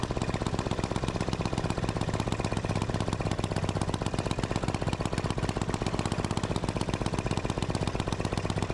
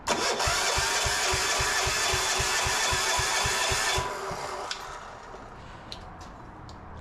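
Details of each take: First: Gravely C10A repowered with a 418cc Yanmar-clone single-cylinder diesel, first run after cold-start troubles: crisp, even firing about four times a second, no misses; healthy normal running, though shutoff point sits low in the rev range. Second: Gravely C10A repowered with a 418cc Yanmar-clone diesel: even starter cranking about four strokes a second for four seconds, never catching; no-start.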